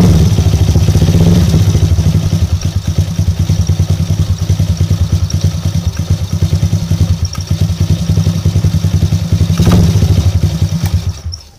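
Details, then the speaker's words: Motorcycle single-cylinder that was hard to start and sputtering after top-end service for a leak, after fitting new spark plug: steady quick idle, even thump, no stumbling, shuts off cleanly; old plug was the cause, fixed. "Oke geng Alhamdulillah masalah setle cuma masalah plak yang membuatkan motor ini susah hidup bila dia hidup pun dia semput"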